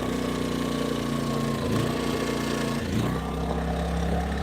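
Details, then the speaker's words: Generator running with idle-matic switched off: a steady full-speed drone that dips and recovers, still surging slightly. The owner suspects its electronics misreading the voltage draw and adjusting output. Engine surging. "So you can hear it's still surging just a little bit. I think that is a problem in their electronics."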